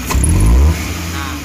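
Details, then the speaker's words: Futura 1.5 (1500 cc) petrol car that had hesitated and shaken on sudden throttle, after service: the spark plugs were the only cause, and with no other problem found a quick blip from idle climbs cleanly and settles without stumble, misfire or shake. "oke memang ternyata cuma businya saja Bro ya tidak ada yang masalah yang lain"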